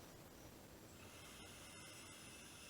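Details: Mikuni carburetor with guided floats, unmodified inlet needle: soft steady hiss of air blown through tubing on the fuel inlet passing freely because floats are down and the needle valve is open.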